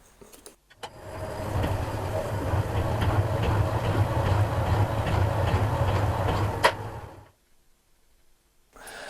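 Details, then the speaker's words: Alba 1A shaper after ram slide bolts and adjusters reset and slide oil applied to the firm ram; motor spins up to a steady, even ram-stroke thump about two per second, then coasts down. Normal running. "after a further dowsing of slide oil on the ram it began to ease when the motor got a hold of it"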